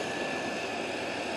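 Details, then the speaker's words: 1990 Chevy truck cold start after an engine rebuild with NAPA parts, timing set at zero: a steady, even engine run with a smooth hum and no knocks, misses or surging. It sounds healthy and runs well. "i'm just showing you my personal preference and uh but yeah she uh runs real well"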